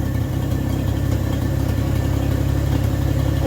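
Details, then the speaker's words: 1964 Chevrolet Bel Air six-cylinder after tune-up with new plug, exhaust ending at the manifold, a little smoky: steady, even low idle with smooth regular beat, no misses or knocks; runs like a sewing machine. "look it's like a sewing machine you know forget about it"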